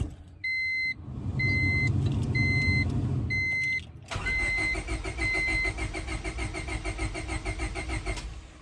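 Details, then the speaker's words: 2000 Honda Civic D16Y7 distributor fitted to a known-good second car: warning chimes, then steady, even starter cranking with no catch; the car won't fire, confirming the distributor is faulty and not delivering spark. "nothing so with that being the case the distributor is still partly the issue and well we know it's the issue because it won't fire the brown car"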